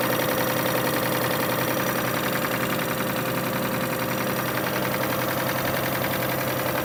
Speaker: So yeah, we have this Kia Sorento '05 has that engine noise in there. I'm gonna try and diagnose this and see where the noise is coming from.